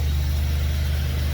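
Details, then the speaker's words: 2003 Dodge Ram 1500 pickup idling after a worn-out fuel pump was replaced: smooth, low, even rumble with no miss, knock or whine; truck fired right up with no leaks from the pump. "Truck fired right up. Now my daughter can have her demolition derby car back to get back and forth to work."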